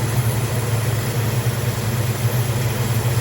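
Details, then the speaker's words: 1968 Dodge Dart sedan, 360 V8, Edelbrock carb, idle with choke unwired, after setting timing: deep, lumpy, steady V8 idle rumble; idle mixture screws set too rich, "a lot rich." "oh okay okay uh she's a little Rich she's a Lot a rich"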